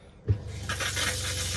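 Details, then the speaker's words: Winnebago Solis 59P camper van fresh-water pump switched back on: low even hum with hiss of water as it repressurizes the line; normal water pump operation. "So if I turn the pump back on, you can hear a little hum sound."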